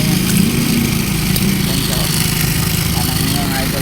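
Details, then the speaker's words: Rusi Delta 125 small single after the loose timing chain guide and tensioner were fixed, running in gear: smooth and even, with no rattle or clatter from the top end; the earlier noise is gone. "ayan wala na yung ingay niya mga idol"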